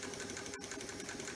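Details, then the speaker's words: Axial SCX24 Nightcrawler Jeep RC crawler, high-end steering servo, wheels off before adding an 8.4V BEC: quick, even electric whir, steady high tone, no grinding or stutter; normal servo sweep. "that's the speed and that's not slow but man it's going to be so much faster"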